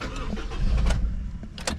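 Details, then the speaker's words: Honda CR-V B20 cold start, no throttle, out of gear, after cleaning the blocked idle control valve gauze with brake cleaner: engine catches and holds a steady raised fast idle it never had before; cold-start and low-idle fault fixed. "oh hello so it appears that it now has a high Idol on cold start which it's never ever had"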